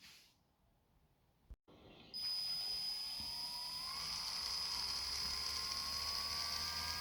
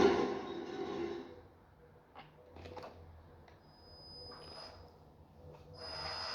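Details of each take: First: Toy RC tank gearbox after reseating the motor with a paper-shim gap for proper gear clearance (grease alone had only partly helped): steady high electric motor whine only, with no grinding or squeaking. The gear mesh now runs quiet. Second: Toy tank's small gearbox: rough, raspy grinding and squeaking bursts over a thin high whine; grease only partly quietened it; the gears meshed too loosely, fixed by loosening two screws and repositioning the motor.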